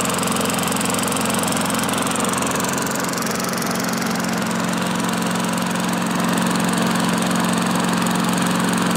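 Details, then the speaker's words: Old Craftsman mower with a Tecumseh engine, previously seized and freed with Liquid Wrench, first start, microphone facing the exhaust. A steady, fast single-cylinder chatter, slight flywheel brake noise, very minimal oil smoke. Normal running. "wow boys I can't believe this thing uh runs that good very very minimal uh oil burning from the exhaust"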